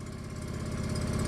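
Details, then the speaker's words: Derelict fuel-injected John Deere 445 garden tractor, just restarted after long disuse, cold: steady even low twin-cylinder idle thump, no misses or knocks, little smoke because cold; charging; runs smoothly. "must be charging well that's good that's good blowing all a little smoke cuz it's cold nice"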